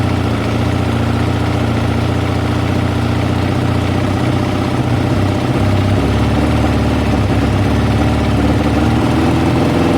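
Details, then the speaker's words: Kawasaki ZL600 project bike first fired up after fitting a new battery and air filters, exhaust expected quieter than before, still warming up with some smoke from the exhaust: deep, steady idle with an even low thrum and no knocks or rattles, running smoothly. "as you can hear it sounds amazing"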